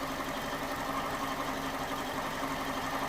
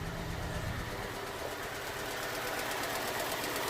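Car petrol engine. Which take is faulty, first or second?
second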